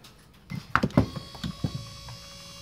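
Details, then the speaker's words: Ford XC Fairmont GXL driver's power window motor, previously worked on, new rollers, bench-tested during restoration: faint steady even hum, no grinding; normal, quiet operation. "That's perfect. Can't fault that at all."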